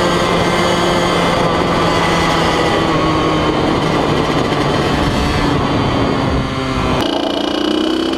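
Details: 2003 Kawasaki KX100 junior motocross two-stroke ridden under load: high raspy wail climbing through the revs and snapping up a gear, crisp and clean; fast, super punchy power band, healthy engine pulling hard.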